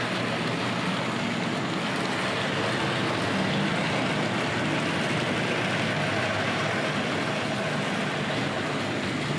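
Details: Tri-ang RS.2 set, R.258 Princess Royal loco on Series 3 track, power turned up: steady, even whir and rail rumble with no stutters or dropouts, running smoothly and consistently, an improvement.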